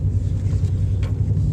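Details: Pontiac Grand Prix with a misfire after prior shop work, scanner reporting an injector circuit fault, needing revving to stay running: uneven, lumpy idle rumble with a stumbling beat, one cylinder not firing.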